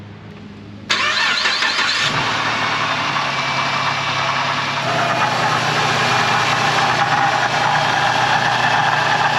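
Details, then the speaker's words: Ford Transit 350 3.7L V6 van, about 124,000 miles, at rough idle with a constant low grumbling from the belt drive. The water pump is suspected, with hope it's not the alternator bearing. This is before replacing the water pump, tensioner and serpentine belt. "hopefully it's not the bearing in the alternator making the noise but it's definitely you can hear grumbling"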